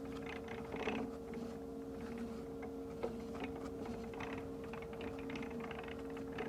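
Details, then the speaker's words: Polarna M6 e-bike 750 W rear hub motor making a lot of noise: steady motor hum with constant irregular clicking and chatter from inside the hub, before teardown to diagnose. "can hear there's quite a bit of chatter going on in there and there's there's planetary gears inside of that Hub"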